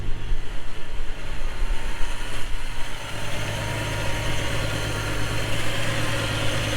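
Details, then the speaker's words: MK3 Jetta GLX 12v VR6 after new spark plugs, wires and coil pack to cure misfire, start-up: catches after a few rough seconds, then even, steady idle with no stumble or miss, much smoother than before. "Start it up. It sounds so good. It sounds so good."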